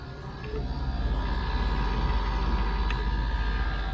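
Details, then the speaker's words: 1993 Range Rover LSE air suspension after repairs: the compressor pump runs with a steady droning hum and fast even pulsing of about four per second; it is known to be noisy, and the owner suspects the pump is on its way out. "however the pump on this thing is famously noisy can you hear it"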